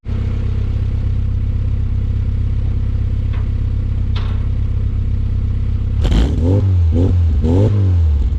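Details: Classic Mini SPI (single-point injection, electric fuel pump) started after sitting for months on a weak battery, catching after a couple of turns: settles into a steady, even run, then picks up cleanly on throttle blips, no misfires or rattles. Normal running.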